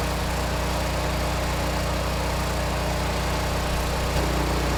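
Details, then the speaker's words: Repaired Generac 20 kW standby generator (model 0058871) at about 12,000 W load: a firm, even engine drone and low hum holding constant, no knocks or misses; 120 V, 60 Hz, THD 4.3%; healthy under load. "So I can hear the engine. It is working a little bit now, but THD remains quite low, 4.3%, and the sine wave looks largely unchanged."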